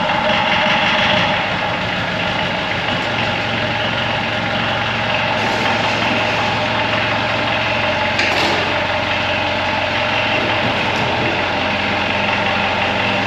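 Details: 1985 Gehl 4600 skid steer with a Perkins 4.108 diesel, after fixing fuel delivery and the injection pump fuel shutoff: steady, slightly clattery idle with an even beat and no misses or knocks; normal diesel idle.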